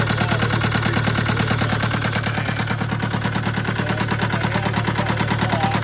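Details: Case 188 four-cylinder diesel tractor idling before teardown: a rough, lumpy idle with a heavy, regular thump about one and a half times a second, smoking. Number one cylinder appears not to fire; the cause is not yet diagnosed.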